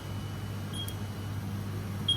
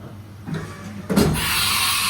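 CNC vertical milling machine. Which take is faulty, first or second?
second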